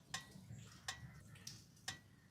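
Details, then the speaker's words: Motorcycle exhaust after shutdown: sharp metallic ticks, about four in 2.5 seconds, from the catalytic converter metal cooling; normal. "कभी सोचा है bike बंद करने के बाद आपकी बाइक में से यह टिक टिक वाली आवाज क्यों आती है? यह आवाज आती है आपके बाइक के एग्जॉस्ट के कैटेलिटिक कन्व्टर से।"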